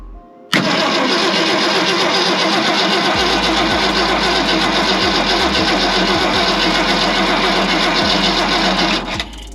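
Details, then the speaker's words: 1965 Ford Galaxie long-sitting project after flushing the nearly empty fuel tank. Power to the coil is verified and it is cranked to prime. Steady fast cranking about four beats a second for nine seconds, never catches: cranks but no start. "Let's see if we get any. Nothing yet."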